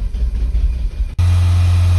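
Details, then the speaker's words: Audi petrol engine, 171,000 km, after injector work: held at raised rpm it runs smooth and even, but at idle it still hunts slightly with audible misfires, now logged in cylinders 3 and 4. "вот на таких оборотах работает стабильно но вот на холостых немножко подстраивает слышны пропуски да"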